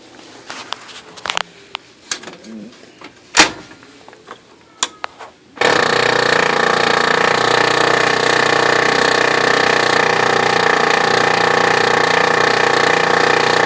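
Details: New replacement Oki Data MB480 printer that shows errors and jams with no obstruction; quiet clicks then sudden harsh grinding with rapid steady chatter, grinding noise, cause unknown.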